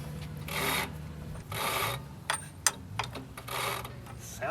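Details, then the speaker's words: 1958 Dodge Power Wagon V8, sprayed with penetrant in the plug holes, turned by hand with a breaker bar: slow dry grating scrapes in bursts with each pull, worse in one direction; internal drag, cause unclear. "does it matter which way you turn it I don't know oh it doesn't sound good going that way"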